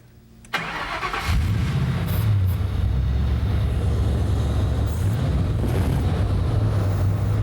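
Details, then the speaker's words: 1965 Ford truck fired up after installing new Auto Meter Prestige gauges: short crank, catches quickly and settles into a steady, even idle with no misses or knocks; good oil pressure and charging. "Now, we'll fire it up. Want to make sure everything that you had working before works now."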